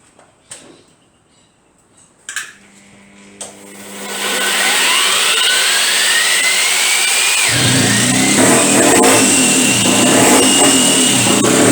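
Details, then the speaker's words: BSA Bantam two-stroke race engine on test run fires and revs with a hard metallic tapping over the exhaust note; owner suspected, later confirmed, piston crown hitting the cylinder head, squish band then checked. "What was that noise? I don't know. I know what it is. What? I wonder if the fucking piston's hitting the head."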